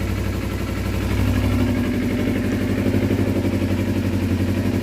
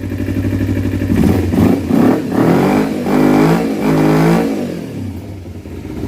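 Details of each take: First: 2012 Kawasaki Ninja 250R, just after carb installation, running on gravity-fed fuel without choke: steady, even idle around four pulses a second, no stumbles or misses; exhaust burning some crap off. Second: 2012 Kawasaki Ninja 250R after carb install, still warming up: quick blips flatten out and fall back, only reaching about 8 or 9,000 rpm. Owner says it is getting too much air and expects reconnecting the airbox properly to fix it.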